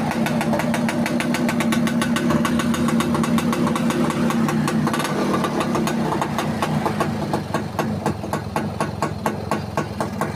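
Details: Yamaha Alfa motorbike that wouldn't start, fixed after finding a broken red wire at the regulator socket: steady, even single-cylinder putter at idle with regular firing beat, no misses; running normally.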